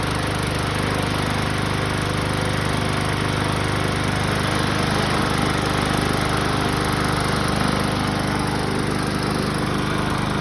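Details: BlackMax/Murray MNA152905 mower, about 1 year old, Briggs & Stratton 125cc OHV, after flywheel key replacement, with a used 20-inch Craftsman blade on a 21-inch deck; steady even drone with no surging. Slight shake, probably blade imbalance; flywheel slightly cracked.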